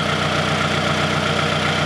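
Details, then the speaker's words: Car, warm engine at idle (cold it clanks around 2,000 rpm): busy idle with fast faint valve clatter and occasional light clank; engine clank and valve clatter, cause unclear. "once it warms up then you can hear it at idle flanking around I can hear it a little bit there's also some other valve clatter and other noise"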